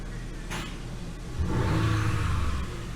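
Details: Genesis GV80 V6 turbo, after replacing multiple failed GDI injectors and all six spark plugs, warming up at about 60 coolant temperature: revs climb smoothly and settle back with even firing, no stumble or misfire.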